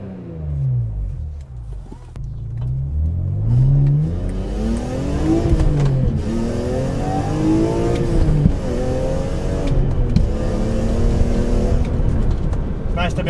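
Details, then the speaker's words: BMW E36 M3 at full throttle after fixing the problem caused by eBay decat pipes (lambda sensors had been blanked off); strong, clean note climbing steadily through the revs with no stumble or cutout, pulls healthily, exhaust now sounds authentic. "able to full throttle again and enough to worry about having ten percenter Machpelah definitely happy with how the exhaust sounds now"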